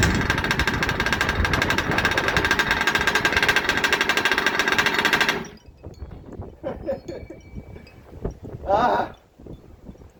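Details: Rovan 30.5 two-stroke after its first full rebuild (ESP ported high-torque top end, +2mm stuffed crank, original clutch, flywheel, coil and case), first start: fires and holds a rapid, even high idle about five seconds, then cuts out; healthy.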